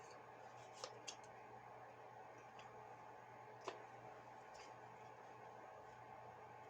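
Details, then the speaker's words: Chinese diesel heater blower fan, previously roaring/squealing, after new bearings fitted and reassembled: smooth steady hum with a couple of stray clicks, no bearing squeal; sounds a lot better, normal running. "yeah that sounds a lot better"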